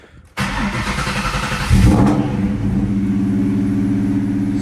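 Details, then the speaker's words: 1998 Mustang Cobra with straight-piped, very loud exhaust, cold start: a quick, uneven chirp over the idle that only occurs when cold and goes away once warm, from a squeaking belt tensioner to be replaced with an OEM unit. "I'm sure you guys can probably hear it already uh I know my exhaust is loud but there you go you hear that chirping [Music] that chirping noise is what we're going to be fixing"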